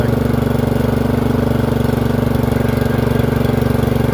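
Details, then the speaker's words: Free Murray 30" riding mower after fitting a new Amazon replacement carburetor (old one surged): single-cylinder engine holds steady, even idle with regular pulse, no misfire or knock; blade engagement issue remains. "That sounds really good. Brakes work."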